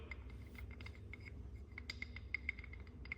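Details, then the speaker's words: Torn-down race engine, one connecting rod rocked by hand on its wrist pin: faint, irregular light metallic clicks showing excess pin play from an egg-shaped, worn small-end bore; the other rods are fine. "hear that that jiggle you can kind of see it that wrist pin should not move that much it shouldn't be it shouldn't be that free"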